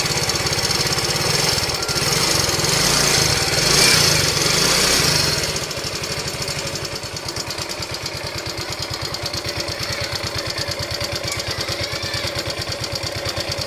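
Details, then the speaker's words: Yamaha Ego Solaris scooter engine running rough. A harsh, gravelly rattle over a fast, even beat of about three per second, caused by a worn cylinder and broken cam bearing. "Di mana masalah dia ni ialah masalah enjin. Enjin dia bunyi kasar. Memang cukup teroklah bunyi dia ni."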